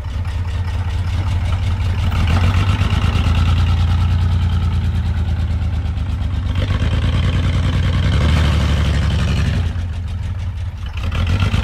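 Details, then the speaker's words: Chevy S10 engine with a knock, revved hard in neutral during deliberate destruction: deep, rough, uneven drone with loose clattering edge, running with no oil pressure. "okay oh that sounds so bad no oil pressure dude"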